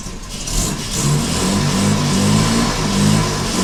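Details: Jaguar Mk2 (budget build), first start in years with automatic enrichment device removed: engine catches and runs evenly, pitch rising and falling smoothly with light throttle blips; normal running.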